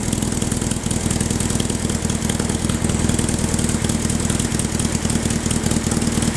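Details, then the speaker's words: Baja Bug air-cooled VW flat-four, parked about 20 years, first start with new spark plugs and HT lead: busy but steady chatter holding an even idle without dropouts; running normally. "um well that was um easier than i was expecting that's basically doubled the value of the car"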